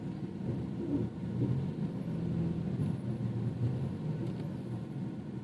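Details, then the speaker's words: BMW 428i front suspension after tightening loose bolts with no parts replaced, reversing up and down a slope at full steering lock: low, even road rumble with no knocks; the earlier clunk under the driver's footwell is gone. "자 !!! 전혀 안 납니다 ,,, 오케이 ~ 밑에 언더커버 조이고 소리는 이걸로 마무리면 될 것 같습니다"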